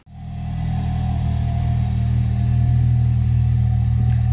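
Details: Ford Fiesta ST150 Mk6, Duratec 2.0, just after fitting Mountune cast aluminium inlet manifold, before warm-up: engine fires and holds smooth even low idle, steady pulses, no misses or rattles, no dash warning lights; healthy.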